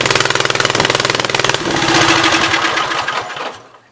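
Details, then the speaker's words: 1976 Gravely 816 twin with the choke held open manually, started on old gas: sharp even pops about twenty a second, then sputters and fades, firing on the right-hand cylinder only; owner is almost sure the other side's exhaust valve is stuck open. "It's only running on the right-hand cylinder. I'm almost 100% sure that the exhaust valve on this side is stuck open, so it would be nice if it would just tink and go in, but I doubt it."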